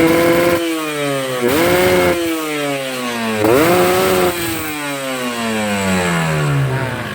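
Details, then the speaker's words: Two-stroke motorcycle with a rich carburettor setting: revs climb and fall with each blip but sound heavy, stuttering and burbling instead of clearing; rich mixture, which wastes fuel. "Nah, itu basah ya. Bisa teman-teman dengar. Nih, berat. Berebet ya."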